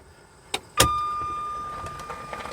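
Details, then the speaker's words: 1994 Jaguar XJ6 stored several months, fuses tested good: click then thin steady whine with no cranking beats; starter engages but engine does not crank, starter relay suspected. "now it's acting like the starter relay is [Music] [Music] malfunctioning can hear the starter engaging but it's not"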